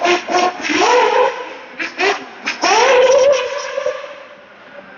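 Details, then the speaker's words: Small nitro engine (Ultimate Racing M5S) on glow-plug test with O.S. P3/P4 standard vs gold plugs, screaming past down the straightaway in clean, steady bursts; lots of smoke, possibly running a little richer, hence cooler. Normal running. "good down the straightaway. A lot of smoke, like it might be a little richer."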